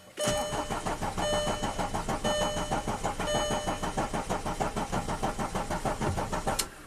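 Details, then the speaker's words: 2005 VW Passat TDI diesel, under 200k miles, after cylinder head and camshaft replacement, long crank after clearing P3007 camshaft sensor code: even chugs about four a second for six seconds, never catches; crank no-start. "Okay, definitely crank no start."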